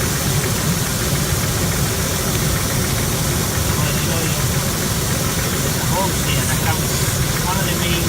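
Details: 2000 Ford Explorer, almost 300,000 miles, P0172/P0174 lean codes and cylinder 1–4 misfires: uneven, lumpy low rumble at idle. Caused by a disconnected or leaking vacuum hose. Rough idle, fixed by repairing it.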